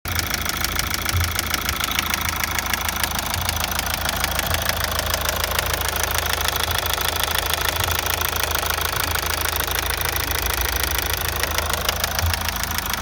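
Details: Mazda 6 2.2D Skyactiv diesel at idle: fairly regular rattling tick about three per second over the idle; engine knocking, source unclear.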